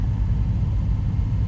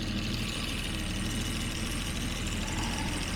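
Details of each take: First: 1975 Jaguar XJ6 daily driver climbing a hill locked in second gear on the first drive of the year gives a deep, uneven rumble with stumbles from an intermittent misfire under load; owner suspects moisture in new fuel, better with revs kept up. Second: Jaguar XJ6 daily driver idling after a coolant refill, warming up in strong wind: steady, even low rumble with no stumbles and wind hiss; it had been misfiring, owner suspected moisture in the fuel.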